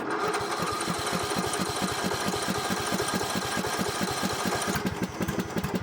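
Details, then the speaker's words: Troy-Bilt lawn mower after repair, started on jump pack with choke, carburetor flooded at first for unknown reason: small single-cylinder chugging at a steady even beat, no misses or clatter; normal running. "Got flooded. Runs good. All right, I don't know why the carburetor flooded, but that is a small problem that I will deal with later."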